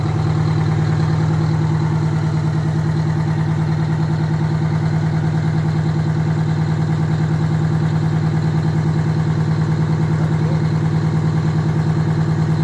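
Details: Detroit Diesel 92 series military-surplus engine, sat 20 years, now fitted in a bus, first morning start after a night in the 50s: a steady, even cold idle of about three pulses a second with no knocks, healthy.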